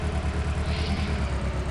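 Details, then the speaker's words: Engine misfiring at idle, rough lumpy skipping beat; codes for cylinder 1 misfire detection and cylinder 1 injector circuit point to injector one. "Uh I test it to verify the customer complaint. You can hear the engine is misfiring."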